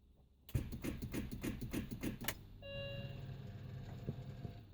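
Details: 2002 BMW Mini Cooper S R53 will not start: a run of about seven rapid clicks, roughly three a second, with no cranking. Battery is 3 years old and well charged, jump start tried, fuses checked, starter-rocking tried.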